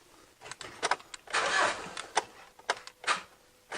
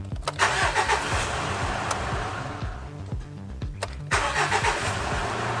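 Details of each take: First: Mitsubishi Triton with an intermittent no-crank fault, reproduced at the key: scattered sharp single clicks at the starter solenoid with no cranking; suspected solenoid contact fault or a voltage drop somewhere, not yet confirmed. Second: Mitsubishi Triton after intermittent no-crank fault from starter voltage dropout, solenoid replaced: three brisk crank-and-start cycles each firing cleanly; tested 12 times without dropout, starter working normally.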